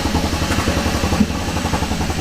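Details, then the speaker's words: Kia Ceed GT with repaired ECU refitted, fault codes cleared, battery dead: engine still idles really lumpy with irregular low pulses; rough idle, cause not yet found. "fault codes are cleared and we have got everything on the live data and the batter is dead okay so it's still really really lumpy yeah"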